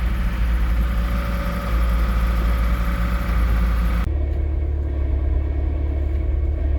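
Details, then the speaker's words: Scion tC EB60 manual transmission in an engine-swapped MR2 Spyder, idling with the clutch let out: low rumble with a faint steady whine from the sealed, greased input shaft support bearing going dry, a known failure before 100,000 km. "shaft has a support bearing on the end of the transmission that tends to make a whining noise sometime before 100,000 kilometers. You'll notice the sound easily if you're idling and you let your clutch out."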